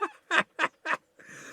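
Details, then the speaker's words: Masterwork 10-transistor AM/FM radio from a flea market: quick bird-like chirps/squawks as it is switched on and off; audio also distorted, owner suspects failed capacitors needing a recap, not confirmed. "you turn it off listen to that do it again turn it on isn't that cute that reminds me of the noisemakers i used to make back in the late 60s and throughout the um early to mid 70s"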